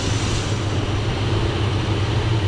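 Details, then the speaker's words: 1978 Dodge Ram crew cab: deep lumpy V8 idle with a steady rattling racket; owner suspects the AC compressor, unsure. It also runs rich with black smoke, floods and dies at idle. "I think it's the AC pump making that racket could be wrong but that's what it sounds like to"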